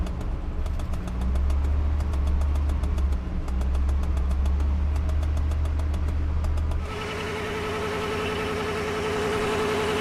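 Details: 1995 Chevy 454 (7.4L) V8 with a dead battery, jump-started first try with a VTOMAN V150 jump starter; settles to an even steady idle, then picks up cleanly on a touch of throttle, healthy normal running.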